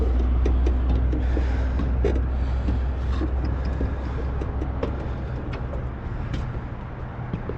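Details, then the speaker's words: Rooftop HVAC unit, probably Carrier, noise worsening as it runs and louder downstairs; deep steady droning hum with rough buzzy rattle and scattered ticks; motor found vibrating, inducer motor vibration. "got a rooftop making noise rooftop unit make noise i think it's a train or american standard not sure but started it up downstairs and they said as it runs it makes more noise"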